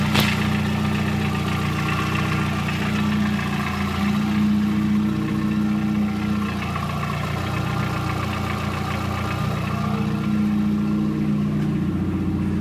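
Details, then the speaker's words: VW Gol 1.0 8v, odometer 120, 20W50 mineral oil, after about 10 minutes of warm-up (quiet when cold): hot idle with a loose, irregular clack that vanishes when the throttle is touched. The owner suspects the piston pin or skirt and possible past overheating, unconfirmed. "Só encostar o pé no acelerador que o barulho some. Parem a hora que larga o pé do acelerador. Parece tem algo solto dentro, sambando dentro do motor."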